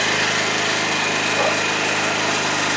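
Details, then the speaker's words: 2012 Tao Tao scooter after variator repair with a new variator pulley and new roller weights, ridden: a small engine buzzing at a steady, even pitch with no stumble or slipping surge, running smoothly as it should. "Smooth now, just like it's supposed to be."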